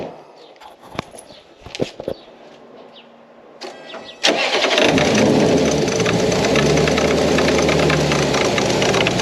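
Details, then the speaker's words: Supercharged Lexus ISF V8 on first start after the install: rough idle with a fast knocking rub from the blower drive. The tensioner pulley is hitting the supercharger outlet S-pipe; the belt is possibly too tight. "I found the problem, guys. The tensioner pulley is hitting the downpipe, the outlet pipe. The tensioner pulley is hitting the S pipe."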